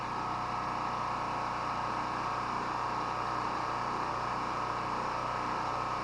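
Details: Honda-clone generator (made in China) with a Champion plug (possibly J11) and oil changed twice to Castrol GTX 10W30: smooth, constant drone at steady governed speed, no surging, misses or knocks; running normally.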